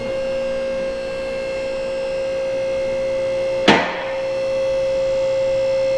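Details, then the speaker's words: Bendpak two-post car lift after tightening the equalizing cables: steady motor hum, then a single sharp clack with no trailing second click; both arm locks now engage together. "all right that is much better"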